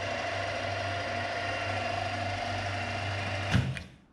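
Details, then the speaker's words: Restored old milling machine, main spindle switched on in gear 1B at 480 rpm: steady even gear hum without knocks or rattles, then winds down cleanly at switch-off; running fine. "okay so I can say it's restored again to its previous glory it's running just fine so here we switch it on this is for the main spindle"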